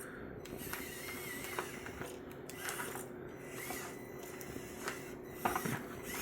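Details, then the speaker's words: Meus MB18 RC crawler with a new Injora 180 Pro 48T motor and 40.3:1 low-range steel gearbox: steady motor whine with irregular sharp clicks and ratcheting as it binds up; the front drive shaft broke, leaving two-wheel drive. "Now that I've been driving it, you can hear a little bit of that noise. I'm not sure what it is. Oh no! Broke my front drive shaft."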